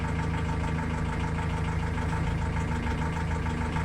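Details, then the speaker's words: Ford Transit Custom Mk7 during starter and battery test with a tester: steady, even cranking at about three compression beats a second, strong unlabored turnover; cranking test reads normal, starter and battery healthy; normal cranking. "cranking is normal nine points so it's obviously drawing nine points involves a starter obviously from here it's not let's try it again"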